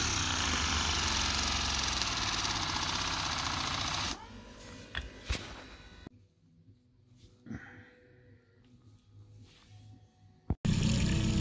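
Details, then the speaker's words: Hydraulic autopilot pump motor run at idle to check current after metal chips were found in the pump: steady electric hum with fast regular buzz about four seconds; current normal, no heating, no short circuit. "so the current is within the normal range you can hear the pump yeah so and it doesn't uh hit up so there is no shut ciruit"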